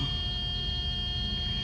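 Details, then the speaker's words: Mercedes 560SEL (1986–91), hot engine that usually idles up to 1100 rpm: low, steady warm idle around 650–700 rpm with a faint electrical hum and no misses; normal warm idle. "And this is about your idle speed right here at about 650, 700."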